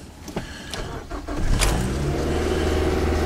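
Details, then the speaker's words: Fuel-injected car cold start in sub-zero, snowy weather, pedal pumped first: a few clicks, brief crank, catches quickly and holds a steady, noticeably high cold idle; normal cold start. "Starts right up, boys and girls. Right up. Look at the high idle on that thing."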